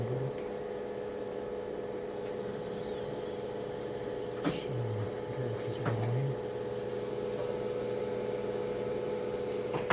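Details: Test run after repair of Emerson drive SP3401 with motor: steady electrical hum with a clean whine as the motor spins up and holds speed; drive and motor sound healthy, normal run.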